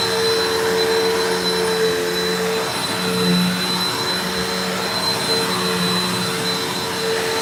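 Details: Mystery vacuum fitted with a replacement motor bearing from another vacuum, running: steady high whine with wavering low hum and uneven tone; possibly a worn motor bearing, unconfirmed, owner later judges motor not shot.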